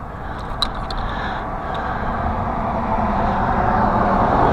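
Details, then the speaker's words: Crankcase evacuation pump switched on: loud, steady electric whirr rising and holding over the engine drone, pulling a good vacuum; crankcase evacuation pump running normally. "uh pretty loud huh oh yeah that's pulling a good vacuum now cool beans"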